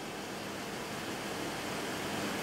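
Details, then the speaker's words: PC water-cooling loop pump during initial filling, waterfall of coolant pushing air in, reservoir not yet topped up: steady loud hiss and rush, no clear tone, from air going through the pump; gets much quieter once the reservoir is filled. "You can hear it's a lot quieter now too. When there's a lot of air going through the pump, it's really loud."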